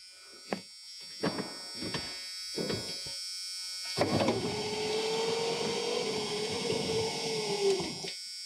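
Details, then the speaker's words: 1986 Ford Mustang LX convertible barn find that sat for decades: a few clicks, then a steady window motor hum for about four seconds; only left front and right rear power windows work, the others probably need motors. "The left front and right rear windows are the only ones that work. The other ones probably just need some motors."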